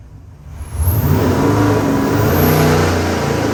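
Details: Customer's freshened LS7 V8 (re-ringed, new bearings, heads redone, new port-matched intake, same cam) on the dyno before a final 6,500 rpm pull; rises from a rumbling idle into a hard even pull, no knocks or misses, healthy at full throttle.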